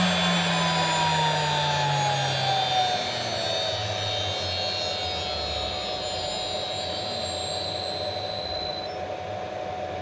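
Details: DIY CNC router spindle on its inverter, cranked up from about 80 Hz toward full speed: a high, smooth whine that sweeps, then holds a constant pitch with no rattle or grind. The spindle runs cleanly at speed.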